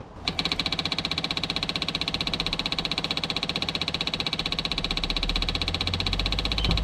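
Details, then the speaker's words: Jeep Grand Cherokee WJ 2.7 CRD OM612 diesel, first start after a full engine rebuild, with a Facet pump trying to prime fuel: steady cranking at about three beats a second that never catches. The new injectors are faulty; the old ones work. "So anyways guys, the new injectors are faulty and the old injectors are working, so I'll have to sort that out soon."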